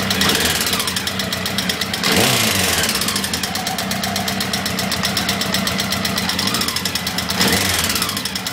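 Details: Honda CBR1000F SC21: fast, busy metallic chatter over a rough idle with a steady rhythm, a loose top-end rattle at idle. The cam chain is stated to be fine; the owner asks which cam chain tensioner is defective.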